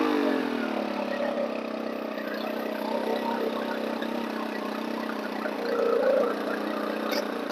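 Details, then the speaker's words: Stihl FS 110 four-mix engine running with the starter removed: high, wandering, slightly surging idle. Brake cleaner sprayed behind the starter cup kills it, so the crankshaft seal is leaking air and the cam cover possibly too. "now i'm gonna get just a little bit of brake clean and we're gonna i'm gonna spray it right behind this starter cup and just watch what happens and it didn't take much to get that engine to die we have a seal leak crankshaft seals leaking"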